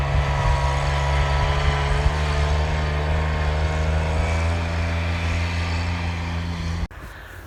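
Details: Kubota RTV900 diesel utility vehicle, final hill run after hydrostatic transmission repair; weak drive blamed on 10 years unchanged filters, possibly low oil from leaks wearing pumps. Steady diesel drone pulling evenly uphill, no surging, knocking or whining, then cuts off; normal hydrostatic drive under load.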